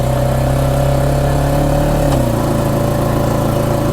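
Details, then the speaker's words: Honda ATV, riding under acceleration: engine pulls steadily, then a single dull transmission clunk as pitch drops on the shift; knock and jerk on gear shift. "probably heard it again there so every time you accelerate that acceleration it will kind of knock knock so sometimes if you're on a weird kind of terrain it can actually knock and you can kind of feel a little bit of a jerk"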